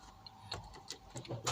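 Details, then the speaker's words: 2007 Toyota FJ Cruiser with crank-no-start after battery replacement, after swapping the customer-supplied voltage regulator IC: a few clicks, then the engine catches promptly on the first try and starts right up solidly. "starts yep start right up solid right so"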